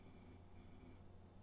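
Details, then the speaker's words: Vintage 1990s Packard Bell A940 desktop, thrift-store find upgraded to Windows 98, after boot: a quiet, steady low hum from the spinning hard drive with no ticking or clicking; the drive sounds normal after earlier awful noises. "yeah the hard drive sounds"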